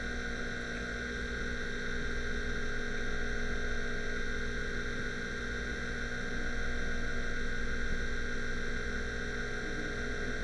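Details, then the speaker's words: Seagate ST-225 MFM hard drive, scratched and with many bad sectors, during initialization: steady whir and hum with soft irregular seek ticks and knocking as bad tracks are marked; 289 defect-table entries written. "right now the bad tracks are being marked as it's going through the you can probably hear the drive making noises"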